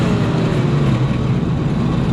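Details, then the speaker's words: Chevy 292 engine in an old corn picker unisystem, first run after sitting, high-powered ignition previously fitted wrong: steady, even low rumble, no misses or knocks, holds idle with throttle backed off; healthy. "Well, that is a finally running 292 Chevy. And I didn't quite expect it to start up so nice. It sounds like it's running good."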